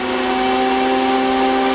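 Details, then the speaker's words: Crypto miners used as room heaters, about 3 kW total: a steady high fan whine with clear tones rises evenly as the room warms. The fans are speeding up normally to keep the chips cool. "yes right on cue these things are all gradually picking up speed as the air they're shoveling through their systems it's getting warmer and warmer and they need more of it to keep the chips in there at a constant temperature"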